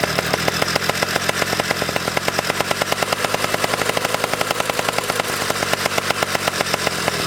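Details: Pocket bike two-stroke after carburetor tuning, revved high: fast, choppy, uneven crackle at the top of the rev range instead of a clean scream; top-end sputter remains.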